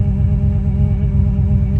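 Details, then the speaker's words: Petrol engine idling properly after a grounding fix cleared code U0107 (lost communication with throttle actuator control module); a steady whine rides over the even idle from a worn power steering pump that is due to be replaced. "You hear that whine? That's the power steering pump that's getting replaced."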